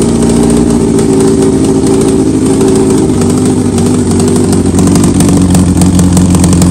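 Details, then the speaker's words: 2003 Yamaha R1, 27,000 miles, sat a while, started on the lift with a recharged battery: loud steady idle with sharp ticking chatter that sounds like an engine knock but comes from the cracked exhaust; exhaust leak, engine runs strong. "it's going to sound like it's going to really sound like that the motor is there's like a knock in there or something but it's not it's the exhaust 100%"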